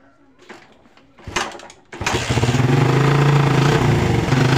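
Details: Motorcycle with carburetor already cleaned, previously sputtering (brebet) likely from a faulty socket: after a few quiet knocks the engine fires and settles into a smooth, even run.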